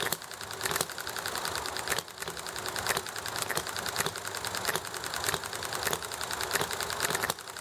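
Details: Enjomor small hit-and-miss engine popping along nicely: sharp pops at a steady pace with short coasting gaps between firings, over background chatter, highway noise and alley traffic; normal hit-and-miss running.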